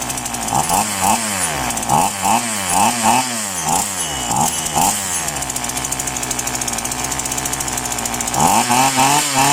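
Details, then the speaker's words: Polo PL-115i small two-stroke chainsaw with two-ring piston, after carburetor tuning: crisp blips up and back down, then steady even buzz returning cleanly to speed; normal running. "แต่ว่าฟังเสียงมันก็แฮงดีอยู่ครับเนาะเพราะว่ามันเป็นส่องแวนั่นเองครับ"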